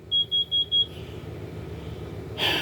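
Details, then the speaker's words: Vehicle engine idling to power an RV through an inverter, exhaust gas drifting into the RV: four quick shrill beeps, a pause, idle in the background. The carbon monoxide alarm is sounding at exhaust fumes. "The alarm went off, which means it's detecting the carbon monoxide from the exhaust of the vehicle running."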